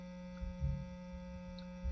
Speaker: what single coil pickup sound is like is normally described as a 60 cycle hum this is a higher frequency